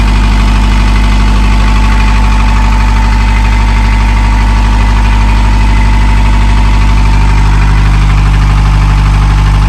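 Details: Narrowboat diesel after in-situ repair: steady even idle thumping about three times a second, deep smooth rumble, no knocks; healthy.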